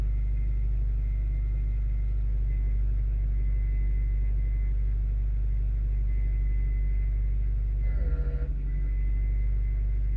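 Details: 1995 Acura Integra LS, B18B1 5-speed with AEM intake, idling about 750 rpm; brief buzzing rattle every few seconds from under passenger side of hood, from key-on, cold or warm; ABS light comes on; source unknown.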